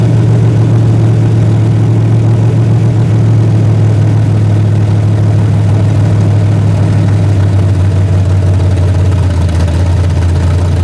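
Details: Freshly rebuilt 406 small-block V8 with open plenum, during 15-minute break-in at about 5 minutes: loud steady deep rumble at fast idle, even and smooth, no knocks or misses; healthy, may need a bigger carburetor.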